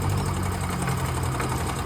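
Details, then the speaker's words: Yamaha Ray ZR scooter after carburettor slide refit (slide pin was broken), kick-started on a weak battery: slow, lumpy idle close to stalling; idle set too low, to be adjusted up so it doesn't die. "है ज्यादा slow कर देते हैं हल्का मतलब कि बंद नहीं होना चाहिए उस अनुसार एडजस्ट कर लेंगे"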